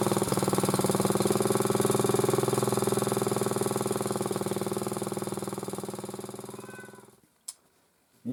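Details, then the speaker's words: Motor-cultivator that knocked and stalled in autumn after hard use, started poorly; idling after cleaning with sandpaper; steady light tick about four a second, slowly fading until engine dies; owner suspects a valve tapping, before valve check. "Что-то мне не нравится, как он работает. Вот. Так-то вроде бы не стучит, но что-то какой-то клапан подстукивает."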